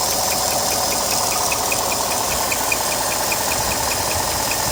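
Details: 2018 Ford F-150 SuperCrew 5.0L V8 at idle, intermittent and louder on the passenger side: quick steady train of high chirps; caused by the timing chain tensioner, covered by Ford SSM and TSB 19-2140, with no repair available yet.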